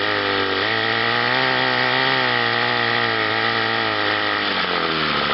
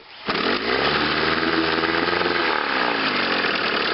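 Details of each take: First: Chrysler twin-cylinder outboard on a test wheel at high speed: two-stroke buzz wavers and sags as the top cylinder, running hotter, cuts in and out; intermittent ignition misfire suspected from faulty condensers, to be checked under the flywheel. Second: Chrysler outboard in a test barrel with test prop, in forward gear, after new condensers, cleaned and adjusted points, new water pump, rebuilt carburetor and fuel pump: starts first pull, steady even buzz, ignition misfire gone.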